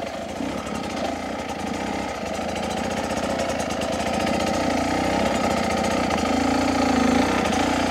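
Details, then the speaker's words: 2023 Beta 250 RR two-stroke dirt bike during initial jetting setup (38 pilot, NECJ needle), ridden at low speed with steady throttle and light clutch slip: even two-stroke burble at low revs, no stumble; bottom end now much cleaner, less uneven. "you can hear it's a lot lot cleaner down on the bottom not so uneven"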